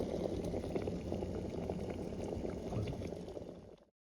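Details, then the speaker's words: Mini 300 ml, 300 W electric kettle on a battery-station inverter, top lid piece removed: steady rushing bubble and rumble at full rolling boil in under 5 minutes, no clicks or rattles; working normally. "It's steaming. You could hear it steam. It's basically boiling now already, probably. It hasn't even been 5 minutes."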